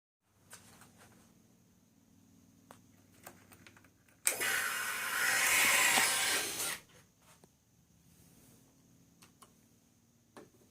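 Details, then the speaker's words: 2011 Ducati 1198 SP with a hard-start problem: about two and a half seconds of rising cranking whir that cuts out without catching; the engine is flooding. "It's flooding now. So this is how they start. Or don't start."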